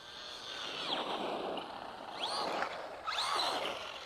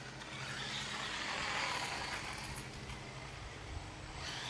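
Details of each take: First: Traxxas Rustler 4x4 RC truck tested outdoors after replacing a stripped spur gear: quiet electric whir rising and falling cleanly with throttle bursts, no clicking or grinding; drivetrain normal, slipper clutch possibly overtightened. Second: Traxxas Rustler 4x4 RC car running with the transmission cover off: uneven gritty, high-pitched grinding from the drivetrain comes and goes; owner suspects a grub screw rubbing the spur gear, cause unclear.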